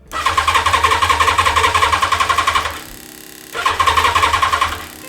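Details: Yamaha FZR 1000 (2LA) left standing about two months, fuel from a bottle, cranked on a jump starter: strong, even starter cranking that never catches. Owner suspects a spark problem, otherwise the carbs; not confirmed.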